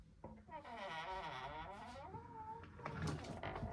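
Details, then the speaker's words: Door closer squeak, which the owner suspects is a bent part rubbing on the arm, likely to get louder: a high, wavering squeal rising and falling for about two seconds as the closer moves. "which is probably going to get louder. I think it's because Yeah, it's cuz that part bends onto the arm. So, it's obviously hitting the armor, making it squeak, isn't it?"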